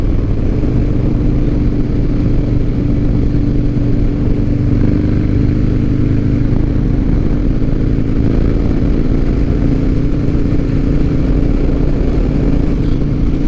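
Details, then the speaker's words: 2007 Harley-Davidson Night Train V-twin, Softail frame, riding after fuel pump and in-tank fuel line repair: deep, steady rumble with even firing rhythm, no stumbles or rattles; throttle response much improved, running as it should. "Oh, that's just better. This throttle response and everything is just way better. Oh yeah, much better. We're back in business, friends. That's how this thing's supposed to run."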